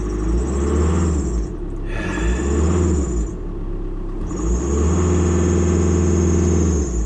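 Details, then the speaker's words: VW Crafter diesel, 8 years old, 150,000 miles, after replacing the original alternator (bearing gone, low output): a thin high squeal over the rumble still rises with revs, suspected belt or pulley bearing, not confirmed. "Rev it a bit I'm not doing anything it's just increasing it squeaking"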